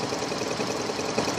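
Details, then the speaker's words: 2000 Toyota Avalon, weeks of sputtering and lost acceleration, new mass airflow sensor fitted: fast uneven ticking patter over thin idle, stumbling and jolting; rough idle, fuel or spark suspected, coils not checked, corroded coil touch shuts it off. "even though I have two screws in there seals running like this as you see it joltin"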